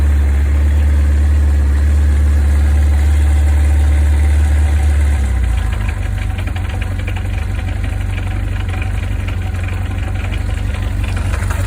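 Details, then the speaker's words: Zephyr engine cold start, choke fully out; cold idle with steady light rattle, speed drops after about five seconds then runs evenly; rattle normal for this engine. "Voilà, donc elle racasse, mais c'est une Zéphyr, donc c'est normal."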